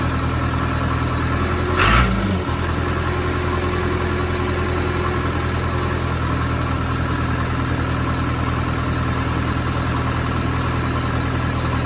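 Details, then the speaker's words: Case 450B bulldozer, 207 diesel, just after injection pump reinstallation and timing, oil diluted with fuel: steady fast diesel chatter holding without dipping; idle set a bit high, pump needs adjustment. "all right guys so that was the 450b injection pump uh sounds like it idles a little bit high so I'm probably going to have to uh work on that a little bit do a little bit of adjustment"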